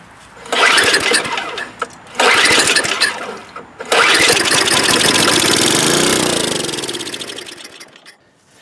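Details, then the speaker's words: Snow blower that sat with old fuel, starting fluid sprayed into the carburetor: two short cranking bursts, then it fires, runs a few seconds and dies. It has compression, spark and correct timing, but a clogged carburetor main jet starves it of fuel. "it didn't stay running because it was only running on the fuel of starting fluid that we had sprayed in there and this confirms for us a lot of things"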